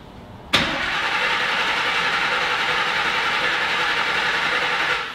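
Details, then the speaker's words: Griz the wrecker cranking but not starting on first attempt; steady fast starter churn, engine spins freely but never catches, sounded like it was trying to backfire; about 35 lb of pressure at roughly 400 rpm cranking. "sound like it was trying to backfire"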